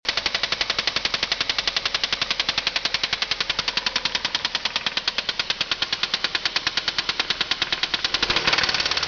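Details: 2003 Ford Focus 2.3L running with a loud, sharp, steady knock; confirmed spun rod bearing, rod knock.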